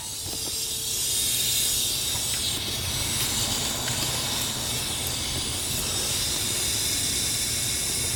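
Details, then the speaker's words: Dodge Caliber SRT-4, boost leak test at 10 psi using homemade 3-inch tester and portable air tank: loud, steady airy hiss; boost leaking, owner suspects blown throttle body to intake manifold gasket. "Go back up to 10 pounds. You can hear it, right? Pissing out somewhere. Maybe it's my intake manifold."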